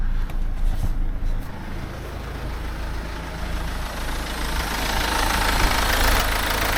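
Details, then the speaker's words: Mercedes C-Class S204 OM651 diesel after timing chain replacement and 660 km driven: steady even diesel clatter with firm low rumble, no knocks or rattles; still shakes slightly, judged normal for the diesel, runs very well. "Und der Motor läuft sehr gut. schüttelt sich immer noch ein bisschen, aber das würde ich sagen ist völlig normal für den Diesel."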